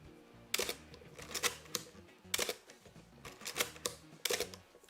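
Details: Canon A-1 film SLR firing several crisp, clean shutter clicks with no squeak, over soft music, after a few drops of oil on the dried-up mirror-damping friction wheel fixed the squeak.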